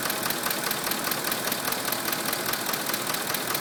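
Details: 2005 Ford F150 5.4 L V8, just under 89k miles, regularly serviced with Motorcraft 5W-20: sharp regular metallic tapping over a revved engine at an even beat, present at all rpm; suspected cam phaser, unconfirmed.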